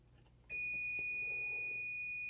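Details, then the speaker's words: Dalrc Engine BL32 4-in-1 3-5S ESC top connector pinout check: after quiet, the multimeter gives one unbroken high continuity tone when probing S4, confirming the pin is correct. "Alright, so I'm touching S4 and it's beeping. You know S4 is correct."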